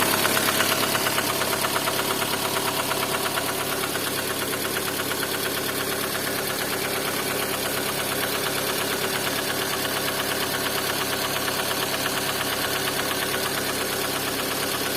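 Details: Lada Kalina engine running with a sharp, regular knock riding on top, about three knocks a second: engine knock.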